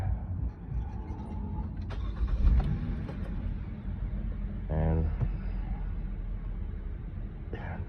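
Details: 2007 Saturn Aura with intermittent no-crank no-start when warm, fixed by jumpering the run/crank relay circuit in the fuse box: short crank and engine catches promptly into smooth running; normal start.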